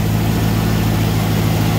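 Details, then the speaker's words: 1993 Ford Bronco, first start and run, ABS light on: smooth, deep, steady idle hum with no misses, knocks or stumbles; engine runs evenly, normal idle. "we got the 1993 ford bronco up and running she's doing good sounds great"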